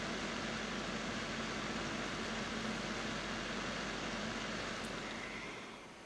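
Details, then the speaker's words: Cooling fan of the power supply running an old TV backlight (CCFLs swapped for LEDs) used as a room light panel: constant airy whoosh with a faint hum, steady throughout; normal but noisy fan. "all the while I have the light on I have the noise of this fan in the background so I think a less noisy power supplies in order"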